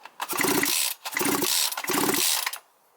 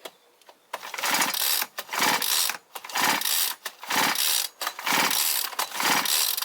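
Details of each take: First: Small two-stroke brushcutter/chainsaw that shuts off after 15 minutes when hot: after replacing torn crankcase gasket (old rings kept), three hard starter pulls give firm distinct compression pops; good cranking compression, seals and gasket holding. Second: Brushcutter or chainsaw two-stroke that dies after 15 minutes when hot, pull-start compression test by sound: slow cranking with hissing whooshes instead of strong pops, air leak from a burnt cylinder base gasket, bolts found loose.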